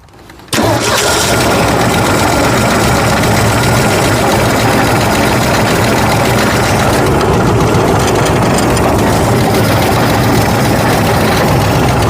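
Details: 1965 Ford F100 240 inline-six after carburetor replacement: starter catches, then loud, slightly uneven idle with unsteady beat; rough running, later traced to idle air mixture screw likely turned all the way in.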